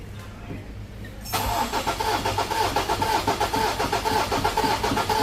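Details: Ford 2.0 bi-turbo diesel, 150,000 km, after injector repair (third attempt) and fuel bleeding, test before delivery: quiet, then engine catches at once and settles into an even, steady beat; normal diesel start.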